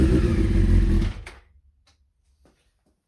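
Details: Honda CBR600F being revived, starter relay and ignition switch bypassed for first start, substitute fuel tank fitted; about a second of rhythmic churning, three pulses a second, then dies without catching; cranks but won't start.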